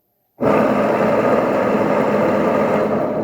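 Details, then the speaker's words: Washing machine tested without its control board, motor powered directly on spin: loud steady helicopter-like roar and rough rumbling drone as drum spins up; gearbox mechanism bearing blown, oil leaking, mechanism needs replacing. "Parece até um helicóptero, né? Tanto barulho que faz."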